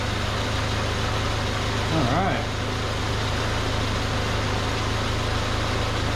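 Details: 1979 Chevy LUV pickup, 1.8L four-cylinder, idling before a treatment down the carburetor: low steady idle with even beat, no knocks, misses or hunting; idling smoothly.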